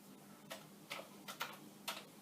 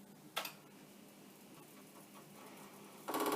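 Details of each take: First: Commodore 1541 disk drive, well used, no disk inserted, directory load command sent: about five sharp uneven clicks over a quiet hum as the drive head bangs against its stop. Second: Commodore 1541 disk drive on a Commodore 64, no disk inserted, sent an initialize command with the error light flashing: a single click, then a quick even burst of rapid head knocks, the normal head seek on initialize.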